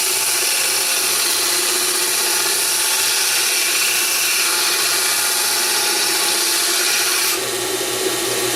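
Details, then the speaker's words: BUCKTOOL 1x8 belt sander on high speed, grinding annealed mild steel with moderate pressure; steady hiss of metal on belt, motor pulling evenly with only slight drag, normal grinding under load. "so I was actually pushing not super hard but hard enough to do that and a little bit of motor drag but nothing crazy so yeah that's cutting it down pretty well"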